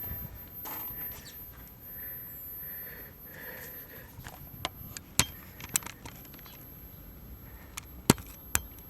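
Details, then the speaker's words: 1981 NEC JB-1201M monochrome monitor, no high voltage, after replacing 2SC3203 transistor, first power-on: thin steady very high-pitched whine over handling clicks; horizontal deflection/flyback running normally. "i heard it i can hear it squealing"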